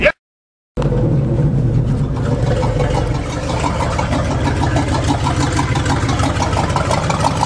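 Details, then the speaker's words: GMC 4x4 pickup, first test drive after the fuel line was redone in copper because it couldn't supply enough fuel: with no throttle, the engine picks up and holds a steady, even idle with no stumbles or misses, running healthy. "I'll try it with no gas. Yes. That sounds good."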